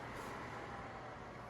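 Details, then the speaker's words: Hearthstone 90-57210 woodstove blower assembly after blower, rheostat speed controller and wiring replacement, heat applied to temperature sensor, running at highest speed; steady, even rushing airflow with constant low hum, no ticking or scraping; normal, recorded on a cell phone. "And if I turn the speed controller on, the first position over from the off position is the high position. So this guy's running at its highest speed."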